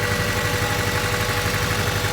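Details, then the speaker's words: Honda Civic idling with one fuel injector deliberately unplugged; steady idle with uneven lumpy pulse and a stumble every few beats, one cylinder not firing, misfire. "if it's running rep like that chances are check your fuel injectors check your cabling okay"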